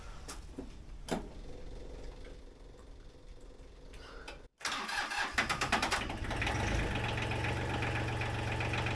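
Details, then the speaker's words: Small diesel tractor, cold weather start after DIY coffee-maker oil pan heater warmed the oil, glow plugs cycled, booster pack on: fires after a short crank and settles to an even idle with usual diesel clatter; much easier than a typical cold start. "Yeehaw! That is much easier than a typical cold weather start."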